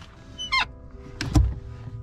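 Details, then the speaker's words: 2014 Subaru WRX hatchback clutch pedal pressed: brief high squeak then pedal thumps, with faint music; source suspected near the pedal spring, before fixing with lithium grease. "does your clutch make a squeaky noise when you press on it like this"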